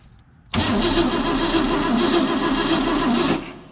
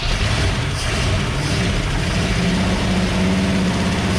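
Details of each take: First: 1960 Cadillac Sedan DeVille, 390 V8, sitting for years, rotted vacuum advance hose; starter churns the engine steadily about three seconds with a low warble but it never fires; cranking, no start. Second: 1960 Cadillac Sedan DeVille 390 V8, first start after years sitting: strong, steady roar on throttle with an even rapid firing beat and no misses; runs well though the carburetor float is stuck down, pumping fuel everywhere.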